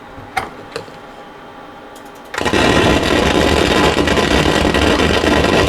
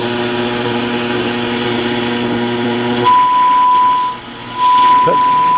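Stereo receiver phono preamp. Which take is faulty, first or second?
first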